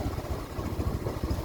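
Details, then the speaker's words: Motorcycle disc brake after cleaning debris from the brake pad area and greasing the pins: engine rumbling at idle while braking, no squeal or scraping as before. "இப்போ பார்த்தீங்கன்னா நம்ம பிரேக் பிடிக்கும்போது முன்னாடி மாதிரி எந்த விதமான சவுண்டு எதுவுமே வரல."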